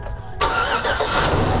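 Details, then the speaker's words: 2008 GMC Sierra 1500 first start after alternator replacement: short crank, then the engine catches straight away and settles into an even idle with no grinding or stumbling; normal start. "cranks cranks cranks in sweat and it's done hallelujah hallelujah"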